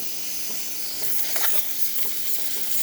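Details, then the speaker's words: Breville Barista Express after a full service, thermal block at temperature: a strong, steady hiss of dry steam from the wand with only small surges and no sputtering. Excellent pressure, normal steam output. "steam coming out through the hot water to the one, to the steam one. Excellent pressure. Working excellent. Working fine."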